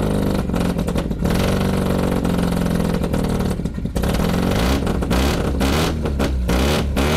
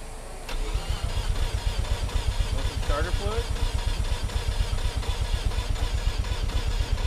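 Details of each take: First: Mazda FC RX-7 rotary after priming, previously sputtering and cutting out with a failed fuel pump and rusty tank: loud, raspy exhaust, quick throttle blips rising and falling cleanly; pulls strong. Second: Mazda FC RX-7 rotary with rusty fuel tank, prior fuel pump failure, sputtering: long uneven cranking before it barely catches and stumbles; fuel smell, owner suspects reversed fuel lines and doubts battery charge; hard start.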